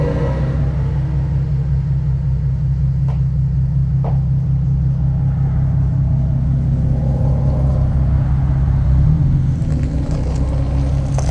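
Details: 2015 Nissan 370Z after front-end collision and frame repair, running after its cold start: deep, steady rumble with even beat and slight swell near the end, no knocks or rattles; running good, healthy.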